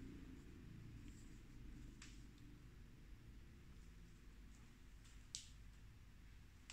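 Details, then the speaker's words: NAD C320 second-hand stereo amplifier, speaker test in quiet room: low steady hum from the left channel while right channel is silent; left output path faulty, humming, repair pending. "suara ee dengung sebelah kiri sini sebelah kiri ada dengungnya nah sebelah kanan sunyi senyapah"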